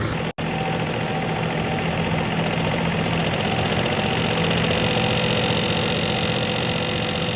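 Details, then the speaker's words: 2013 Volkswagen Jetta 2.0 L at idle, after oil reportedly ran low, no check-engine light: steady idle with uneven buzzing rattle about four pulses a second; owner reports ticking, source not pinned down. "So as soon as this one starts now it will start to make a noise."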